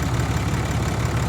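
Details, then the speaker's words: Diesel truck at an auction lot, with check engine, ABS, brake and airbag lights on, alternator charging, likely needing batteries: a deep, steady low rumble with an even beat and no knocks or misses. It is purring like a kitten. "it really does purring like a kitten man let's take a walk see how it sounds that exhaust is definitely breathing"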